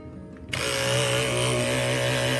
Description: Lines in your cuts might not mean your blade is dull - your clipper motor could be the real problem!